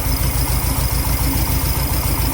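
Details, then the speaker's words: Garage-find VW Karmann Ghia project car with an air-cooled flat-four, which starts and runs. Fired up, it settles into an even, low, chuffing idle with no rattle or tapping on top. It sounds healthy. "This thing does run and drive too, guys. That was the cool thing, is that I was going to do a will it run on it, but it starts and runs."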